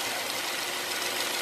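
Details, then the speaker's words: 2008 Ford Fusion 2.3L at idle with code P0171 and evap monitors not completing: faint steady hiss over a quiet idle; small vacuum leak under the intake, suspected at the PCV valve or hose, traced with brake clean and short-term fuel trim. "hey y'all i don't know if you can hear it but we have a small vacuum leak coming from somewhere keep getting a coat of p0171"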